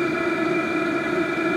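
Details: HCALORY 5-8kW diesel heater at full heat on a Bluetti AC180 power station via a 250 W driver, drawing about 56 W: constant mid-pitched blower hum with steady roar, no pulsing or sputter; burning evenly at full output.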